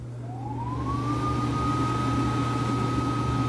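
Fan spins up with a whine rising over a second, then holds a steady pitch over a low mains hum; healthy, smooth running.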